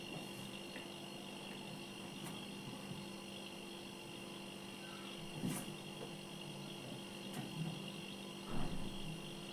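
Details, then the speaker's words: Single-door refrigerator compressor running after repair, discharge line and condenser coil heating up; low, steady hum with no rattle or knocking, only a few handling bumps; no gas leak, system running normally. "गुनगुना हट की आवाज आ रही होगी आवाज आ रही है और यह गर्म हो रहा है डिस्चार्ज इसका मतलब इसमें गैस की भी कोई इशू नहीं है"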